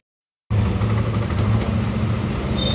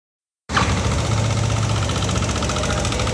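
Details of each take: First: Old Yamaha NMAX after repair of a rough valve/tensioner-like noise, covers refitted and radiator refilled: engine settles into a steady, even low hum with no ticking or rattle; idle clean. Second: Old Yamaha NMAX scooter idling with a rough, fast metallic rattle; engine opened for diagnosis, noise traced to a loose, badly worn rocker arm roller bearing, so re-adjusting valve clearance would not last; temporary repair.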